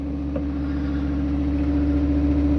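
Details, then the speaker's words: Neglected Fiat Stilo Abarth not run for a few years: engine runs with a steady raised hum and idles very high, later dropping; hydraulic lifter noise, owner suspects an air filter sensor, cause unconfirmed. "Well, it's very high up in idle, but it didn't run for a few years, so"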